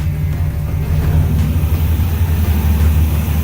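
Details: 1962 Ford Falcon after Holley Sniper 1100 EFI swap, first start with vacuum advance on new line: catches and settles into steady, deep idle under background music, no misses or stumbles; runs smooth and healthy.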